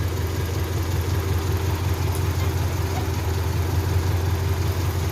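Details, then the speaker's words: Honda Civic Genio petrol engine idling at about 400-500 rpm with no throttle, a low, uneven, limping beat and a diesel-like exhaust note; the misfire is from a dead spark plug. "kayak mesin itu kayak ada yang pincang gitu"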